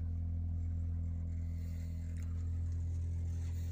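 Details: Solid-fuel boiler on firing-up, set to 62-63 °C, gives a loud deep steady drone with vibration through the whole house for about 15 minutes until warm, then runs normally; cause unknown.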